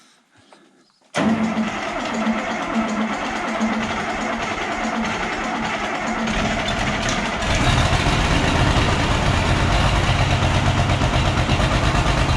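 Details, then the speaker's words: Oliver 1650 tractor diesel started after sitting at least 3 years, fluids checked, new battery; cranks, catches, then uneven lumpy idle with rising roar and heavy smoke, missing on some of its six cylinders, needs at least injector work. "And yeah, you can see it at least needs injector work. She's making a lot of smoke, not running on all six."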